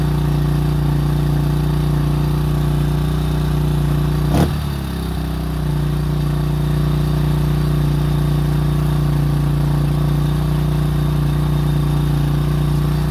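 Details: 2005 Honda CRF150F after valve adjustment and carburetor tune-up fixing a no-start and high idle: single holds a steady, even idle around four pulses a second, one brief blip midway; running smooth and healthy.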